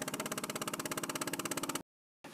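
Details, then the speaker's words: Siemens SIPART PS2 electropneumatic valve positioner during auto-calibration: rapid, even pops about fifteen a second stop abruptly, then a soft air hiss as it maps actuator travel. This is normal. "you'll hear some popping and hissing what that is is the positioner creating a digital footprint as to what's happening in this mechanical device"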